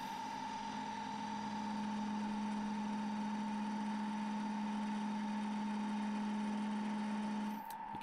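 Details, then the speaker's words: Very dry ash goblet blank spindle-turned with a bowl gouge far from the lathe chuck: steady hum with a clear constant singing tone over the spinning work; resonance from the piece's length. "hear a bit of resonance there that's just cause a length of the piece"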